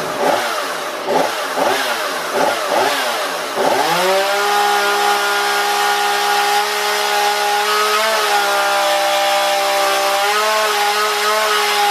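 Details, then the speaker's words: Husqvarna 235e/240 chainsaw after carburetor tuning by ear, warm: rhythmic bogging while cutting, then clean steady high rev with light exhaust flutter; well tuned and running well. "got a good running saw I think he'll be happy with it and gets it back"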